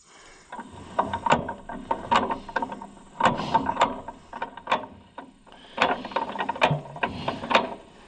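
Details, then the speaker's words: 1936 John Deere A auction tractor rolled over by hand after timing adjustment: crisp ratcheting magneto impulse clicks in short bursts, snapping on time; magneto firing, possibly slightly weak. "All right. I am satisfied with the timing. I'm satisfied with the that the magneto is firing. It may be a little bit weakish, but you can't have it all, friends."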